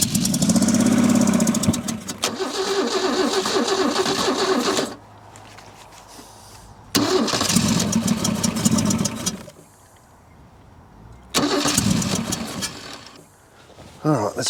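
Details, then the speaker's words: Holden Commodore six not run in over 15 years, first start: rough, uneven running with stumbling beat under each rev; missing on a cylinder, owner suspects a valve hung open, cause unconfirmed. Engine misfire. "oh she's got a bit of a missing it so I've got 1 5 3 6 2 four sounds like got we got a valve hung open or there's a Miss in"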